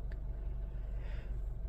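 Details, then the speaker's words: 2007 Honda Civic after repair for cylinder 2 misfire (P0302) and P0420 codes, engine light now out after restart: low, steady idle with even beat, no stumbles or misses. "the good news is my engine lights out let turn the car off pull the key put it back in starting up smoothly engine light is out perfect"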